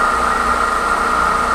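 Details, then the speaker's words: Pedestal stand fan after fixing its loose, noisy motor bearing without replacing it: smooth, even mid-pitched hum with no rattle or scraping; fan runs quietly and normally. "अच्छा ठीक है कोई song नहीं आ और बढ़िया से चल रहा है बिल्कुल देखिए"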